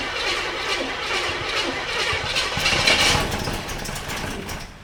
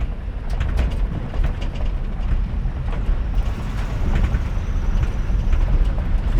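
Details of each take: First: 1985 K30 CUCV, rebuilt swap engine with electric fuel pump, first start after wiring fixes: rough, loud catch with a sharp bang midway before settling, lots of smoke; backfire on first start. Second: 1985 K30 CUCV after a swap out of the 6.2 Detroit diesel; the replacement engine runs with a deep, even V8 rumble at steady idle, no misses or knocks. Normal running.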